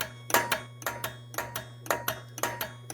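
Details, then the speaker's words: Williams System 11 Road Kings pinball machine showing error EOS 23: repeated double clunks about twice a second over mains hum as ramp coil keeps firing but a gummed, binding pivot holds the ramp stuck up. "trying to reset that ramp but it can't uh haven't looked up the manual yet to see what uh EOS 23 is"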